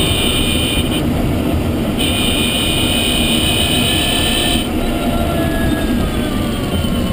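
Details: Renault Zoe Q210 electric car at 63,000 km, while driving. A faint, thin whine climbs in pitch with road speed over heavy tyre and road roar. Electric drive motor whine; cause unclear.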